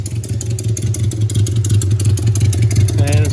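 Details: 1982 Suzuki GS650 Katana with cleaned carbs, fresh gas, new fuel line: uneven, lumpy idle pulsing about three times a second, loading up on a couple cylinders and sagging near stall; cause unclear.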